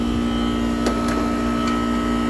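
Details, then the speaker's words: Goodman R22 AC compressor on a no-cool call, drawing about eight amps at start against 12.6 RLA: steady loud mid-pitched hum, no knocks or rattles; sounds like it struggles, cause of the loud noise unclear. "that compressor sounds like crap though i think it's so loud i guessed wrong on it it just sounded like it has having a hard time"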